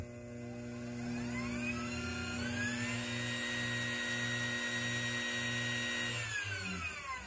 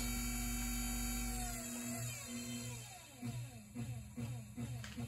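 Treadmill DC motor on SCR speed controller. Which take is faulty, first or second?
second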